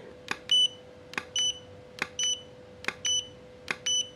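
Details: Godox V850 speedlite after repair, test firing at 1/4 power: sharp flash pop roughly every 0.85 s, each followed by short high ready beep; normal recycling.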